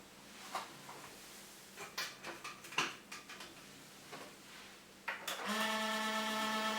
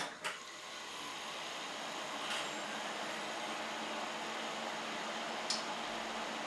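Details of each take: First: 10-year-old desktop PC, dusty inside, before oiling the fans: a few clicks then a loud steady hum with a buzzy whine from the cooling fans' dry bearings, loud enough for neighbours to complain. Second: Ten-year-old desktop PC after dust was cleaned out, its fans oiled with machine oil and new thermal paste applied: soft, even airflow hiss with only a faint low hum, no rattle or grinding; the loud droning is gone.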